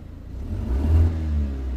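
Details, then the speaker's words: 2008 BMW 116i E81 1.6 petrol with misfire and code 29D0, revving with an uneven lumpy rumble under acceleration. "it definitely sounds like when you accelerate it"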